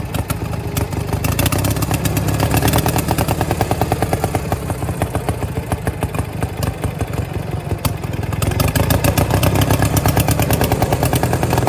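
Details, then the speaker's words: Power King 2417 lawn tractor: loose, uneven V-twin lope with sloppy flat bursts and slow pickup; running rich with poor throttle response. "she's running like a champ now throttle response isn't real good"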